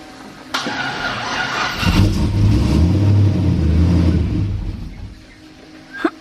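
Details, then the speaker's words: Colorado truck with newly built 1000+ hp engine, first start: revs with a raspy, puffing tick about four per second on the exhaust note; bad exhaust leak, starter gears also not disengaging properly. "here we got a bad exhaust leak"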